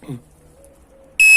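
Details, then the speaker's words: Nikola electric wheel after adding a 0–30 s delay timer (set to 10 s) to the speaker power: on switch-on only a single short high-pitched quarter-second power-on beep in a quiet room; the loud startup beep is gone. "La roue s'allume, on entend le bip de la roue. Et voilà, c'est tout. On n'entend plus le fameux bip de folie."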